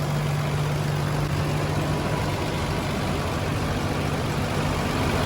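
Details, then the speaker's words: Toyota Land Cruiser FJ62, fuel-injected petrol engine, long parked, first start since purchase on fresh gas: smooth, quiet, even low hum with no knocks or misses; idles cleanly and sounds good. "It is quiet and it sounds pretty good! This motor sounds really good!"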